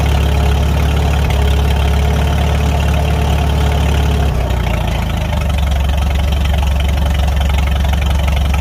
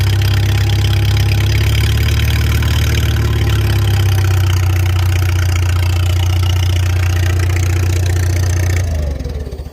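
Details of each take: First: Farmall 300 Row Crop tractor given throttle after the rust-holed exhaust manifold was replaced, the muffler refitted and the clutch adjusted: deep, steady, even beat with a brief speed change. Sounds good; normal running. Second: Farmall 300 Row Crop tractor idling out of gear on temporary fuel with the choke open, then shut down; a raspy chuffing edge on each firing pulse fits a leak through the original exhaust manifold's rust hole, being replaced. Otherwise runs well with no smoke.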